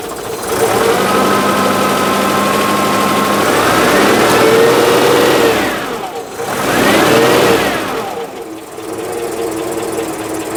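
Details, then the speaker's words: Citroen GSA engine running, with the alternator suspected as the bad-noise source and belt tension being varied: shifting whine and hum rising and falling with revs, noise returns at a different tension, source still unidentified. "foreign we start getting the noise back so I'm going to try a slightly different um tension that's less Gremlin it is still quite a lot gremlin"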